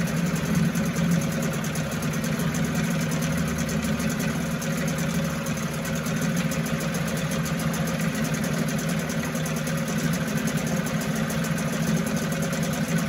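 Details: 1974 Mercury 4 hp single-cylinder two-stroke outboard, restored, easy restart from start position: smooth even running with steady buzzing beat, no misses or knocks; sweet easy-starting machine, normal running.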